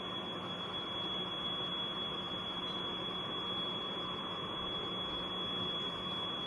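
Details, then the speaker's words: APC UPS on mains power, charging the battery and running a fan and two 600 W heater rods, load showing full. Shrill high continuous tone over a faint hiss: overload alarm that cannot be muted, stops when load drops to 600 W. "On कर दिया, load full show कर रहा है। थोड़ी देर इंतज़ार किया, फिर overload की लाइट ऑन होगी और कंटिन्यूस बीप शुरू कर दी।"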